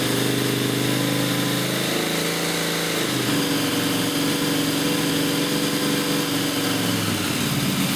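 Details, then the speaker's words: Newly built blown 355 Chevy V8, Weiand 6-71 blower, Holley 600 carbs, solid roller cam, target idle about 1,200 rpm at 12.8:1 AFR; loud steady idle, firm even beat, slight lope, running cleanly. "once we get it back idling at about 1,200 rpms the air fuel ratio should stay right about twelve point eight to one"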